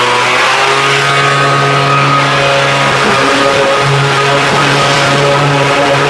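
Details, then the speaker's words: Homelite two-stroke blower that ran, died and stumbled, warm after a quick fix, choke off: steady even high buzz with no surging or sputter; now running perfectly. "not this thing sounds great man I kicked up a little dust in here now that thing's running perfect"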